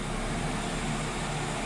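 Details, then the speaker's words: 2013 Nissan Rogue CVT, about 109,000 miles, towed in with no forward or reverse and code P0746: in reverse with the pedal floored, the engine drones at flat idle and the RPM never rises. No throttle response in gear. "you put it in reverse press on I guess I'm all the way down on the accelerator pedal and the RPMs are not moving they're not even raising up"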